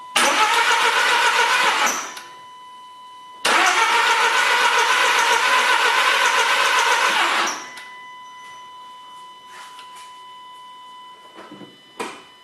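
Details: 2008 VW Golf Variant 1.4 TSI, ECU reset and fuel replaced, awaiting timing chains: two long bursts of steady starter cranking about four turns a second, never catches; cranks but won't start, possibly fuel problem, cause unconfirmed.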